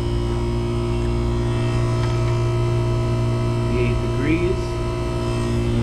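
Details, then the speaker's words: Daikin McQuay water source heat pump that was not cooling, compressor running after the fix energized the coil: steady, even low hum, no knocking or rattle, grille air 59 degrees and dropping; normal compressor run. "all right everyone i hope you can hear that got the compressor running got a thermometer in the grill"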